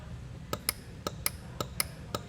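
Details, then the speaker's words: Demco Air Force One flat-tow brake system on a 2022 Jeep Wrangler 4xe: crisp paired clicks about twice a second as the breakaway pin is worked in and out; unit activating normally, no air pressure yet. Normal actuator clicking. "and you can hear the unit activating there so it's work in there it just doesn't have any air pressure to fully test it"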